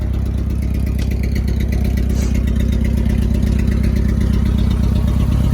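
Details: 1990 Mitsubishi Mighty Max four-cylinder after Seafoam on old plugs and a new fuel filter: steady low idle with a faint recurring stumble; still misfiring, but much smoother than before and little smoke.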